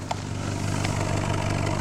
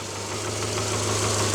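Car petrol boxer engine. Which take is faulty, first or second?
second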